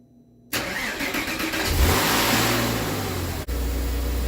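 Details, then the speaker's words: Nearly 25-year-old Porsche Boxster cold start after cleaning the throttle body and MAF sensor, oil level mid-range: quick crank, clean catch, brief flare, then smooth steady idle, no smoke, knocks or misses. Normal cold start and idle. "Nice, nice, nice. Check it out. The old Porsche purr. That's a cold start. No smoke. Sounds good."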